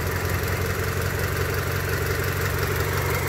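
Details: 1999 Honda Civic EX D16Y8 with blue smoke, compression loss and oil burning: steady idle with a light tapping about three times a second, like a rocker or lifter. Piston slap from worn cylinders is suspected.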